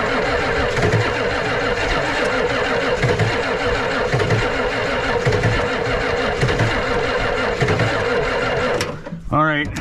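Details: Ford 7.3 IDI diesel cranking on a weak battery to bleed the injectors: sluggish cranking, about one laboured compression per second, never catches and fades out as the battery goes dead. Later switched to two batteries for proper glow plug voltage.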